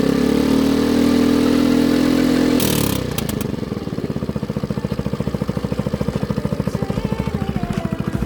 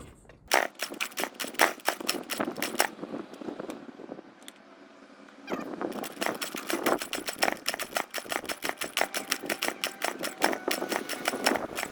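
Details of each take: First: Baotian BT49QT 50cc Chinese four-stroke moped, run after its carburetor was cleaned and after long starter cranking: a rough start, then an even putter of about three pulses a second, running smoothly and steadily. Normal running. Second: Baotian BT49QT 50 cc Chinese moped, first start attempt with a beer-can makeshift exhaust: sharp uneven popping fades for about two seconds then stutters back, running only briefly; rough, fuel-starved running from clogged carburetor jets.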